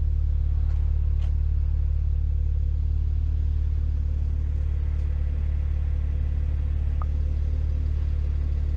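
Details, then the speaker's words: BMW Z4 with the 335i engine, after cleaning the Vanos actuators and changing the oil, which cured its rough idle and reduced power: deep, even, steady and flat idle with no stumbles or misses; normal idle. "idle is nice too steady and flat"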